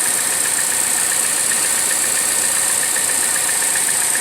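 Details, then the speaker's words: 2014 Chevrolet Cruze LTZ at idle: steady high-pitched whistle from the top of the engine; misfires too, valve cover replaced. "para diagnosticar un problema que a través de vehículo trae como un silbido en la parte de arriba del motor"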